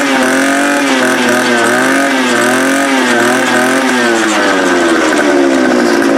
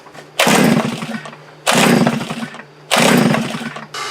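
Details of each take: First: Small two-stroke fence-post auger engine starting cold after carburetor replacement and throttle linkage adjustment: a steady, even buzz, revs dipping slightly then settling smoothly; fuel delivery sounds healthy, running normally. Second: Post-hole auger engine after fuel primer bulb replaced and fuel tank repaired; three short bursts that catch and die within a second, won't keep running despite fuel in the new bulb, suspected carburetor fault.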